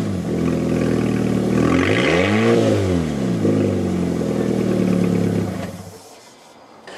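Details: Fiat 500 that broke down sounding like a hot rod and would not exceed 40 mph: exhaust failed at the rear back box. Revved, it swells to a loud, deep, unmuffled drone and falls back; exhaust leak before replacement.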